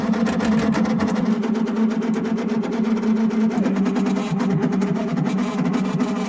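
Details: Narrowboat diesel heater hot-water system with header tank just filled: fast, uneven rattling churn over steady hum as the circulation pump pumps air still trapped in the coolant loop.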